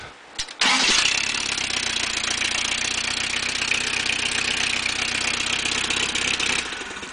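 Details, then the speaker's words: 1986 Toyota 22R carbureted engine, sat two days in cold and rain, restarted after two minutes' run: catches immediately, even steady idle, no knock or miss; owner suspects head gasket going (some water in oil). "i mean that's that's a great running little motor to just be sitting for two days in the cold and rain fired up for two minutes and shut it off and hit the key and she fires right back up to 86 22r carbureted"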